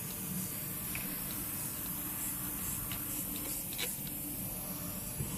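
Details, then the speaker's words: MAN TGX 18.440 truck: steady unbroken hiss of air escaping under the fifth wheel from the drive-axle brake chamber seal between parking and service brake, keeping service brake applied so wheels (worst right) overheat. "Camera de frânare pierde aer la semering între frâna de mână și frâna de serviciu."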